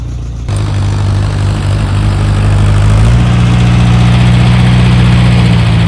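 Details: Allis Chalmers D15 orchard tractor, bought at auction and started for the first time in a long while, catches after a half second of quiet and settles into a steady, even low idle rumble; running healthy.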